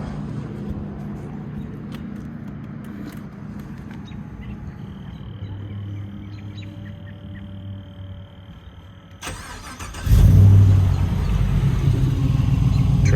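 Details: Startup of a 3rd gen Toyota Tacoma swapped to a 6.2 L aluminum LS3 V8 with 6L80E transmission and 3-inch MBRP cat-back exhaust, outdoors: after quiet outdoor sounds it catches and settles to a strong, steady idle with deep exhaust rumble, no misfire.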